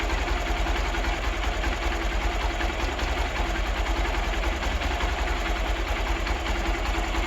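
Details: Hero Xpulse 200 single at idle after final valve clearance adjustment (intake 0.06 mm, exhaust 0.102 mm): steady idle with only faint light tick over exhaust hum; normal idle.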